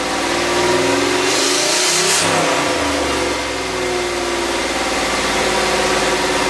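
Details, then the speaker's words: LS turbo Miata kart freshly running, without proper injectors yet and with the wastegate not yet plumbed: throttle blips rise hesitantly and unevenly, then fall back. Poor throttle response attributed to an unfinished tune. "uh the throttle is still not a hundred percent again that's something with a tune so we're gonna be working on that"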